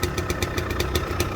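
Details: Restored Gilera KK125 two-stroke at cold idle while warming up; crisp, even popping, regular firing with no knocks or misses. Normal cold idle.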